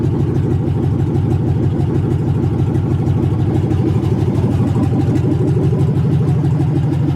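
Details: 1980 Chevy C20 with a swapped 4.8L LS V8, first fire-up after the swap: loud, deep, steady rumble with an even beat at idle. No misses or knocks; a healthy idle.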